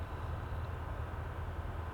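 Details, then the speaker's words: 1970s Ford pickup daily driver while driving: low rumbling drive noise with faint regular thumping about five times a second under road hum; knocking grinding present for about 10,000 miles, owner suspects torque converter going out. "It has some weird knocking, grinding sound. I think maybe the torque converter's going out."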